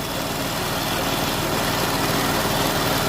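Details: 2014 Chrysler 300 3.6, after repair of an oil pressure sensor engine-light fault: steady, even low idle rumble with no misses, ticks or knocks. Oil pressure good, no leaks, no engine light. Normal idle.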